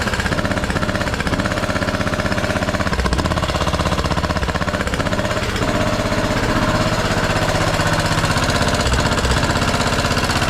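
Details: Scrapyard Craftsman T1200 riding mower, first start on old gas with a substitute spark plug: loud single-cylinder chugging about four beats a second, lumpy and gurgling, compression seeming very high; owner may check valves.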